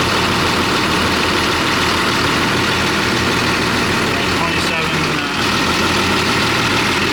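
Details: Heavy equipment diesel idling during a charging-system check: steady, even idle with a constant low drone and no knocks or misses; running normally.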